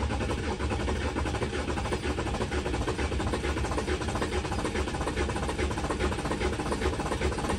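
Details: Volkswagen Touareg 3.0L diesel, cold start after two days at below -30°C (about -33°C): even, steady diesel clatter at idle with no misses or hunting right after starting; normal cold idle.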